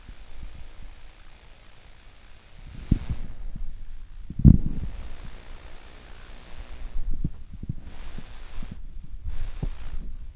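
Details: Low, throbbing buzz with irregular pulses and pops from EMI/RFI getting into a PC-setup microphone. Suspected sources are the RTX 3070 Ti GPU, monitor, Stream Deck, PSU, fans and unshielded cables.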